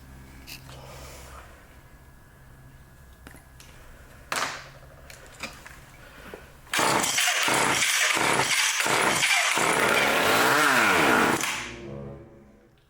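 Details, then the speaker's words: Old vintage Craftsman Power Sharp chainsaw pulled after carburetor screws were set to one and a quarter turns: pull-cord rasps with quick chuffs but never catches and runs; apparently not picking up fuel, may need a carburetor kit. "picking up any fuel may have to put a kit in it"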